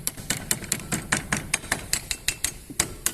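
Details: Fiat Palio: sharp rapid tapping rattle, about four or five hits a second, over faint low rumble; knocking noise from the suspension.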